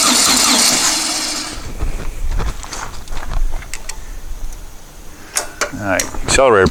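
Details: Dune buggy after new fuel pump pushrod and tightened fuel pump inlet hose, starter wire possibly loose, weak 10-volt booster pack: uneven starter churning for seconds with no firing; extended cranking, no start, cause unclear.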